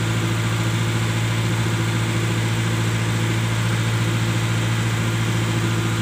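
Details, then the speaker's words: Mitsubishi Colt T120SS before repair: steady engine hum holding at raised speed, never settling; idle stuck high, caused by worn throttle body air valve letting excess air through. "Oke sahabat semua seperti ini ya jadi rpm nya selalu naik tinggi"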